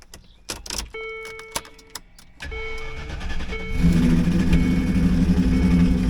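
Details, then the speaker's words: 2007 Jeep Wrangler JK Unlimited Rubicon started after sitting about a year: brief crank, then a lumpy, uneven idle with low throb; one front cylinder suspected, owner unsure if rod knock, noise not rhythmic. "Sounds like shit. She's got a badness to her."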